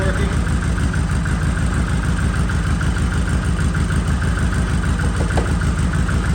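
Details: Polaris Sportsman 700 ATV that sat parked, started after battery jump, fuel pump building pressure: deep steady thumping idle about three beats per second, no misses or knocks; normal idle.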